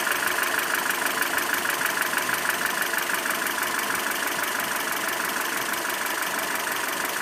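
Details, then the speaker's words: ZMZ 402 fully warm at idle, about 650-700 rpm, oil pressure about 2; light metallic chime about three per second over dull diesel-like rumble, may fade or vanish, clearer from below and side; cause piston pin-to-connecting rod play in all 4 cylinders. "Этот вот перезвон, когда сбрасываешь газ, полностью на холостые уходит. Дизельный рокот какой-то. И на холостых он то есть, может стихнуть, может пропасть."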